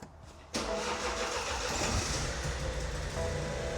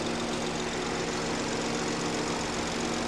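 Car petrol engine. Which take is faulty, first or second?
first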